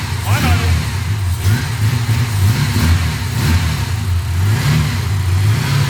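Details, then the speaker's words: Ford AU Falcon six-cylinder with its idle screw set all the way down after it had idled too high; engine surges and sags around low idle, held up only by throttle blips; owner suspects the low setting prevents holding idle. "so i think because i've set all the way down it's just not going to hold its idle so i'm going to put it up a little bit and hopefully that fixes the problem"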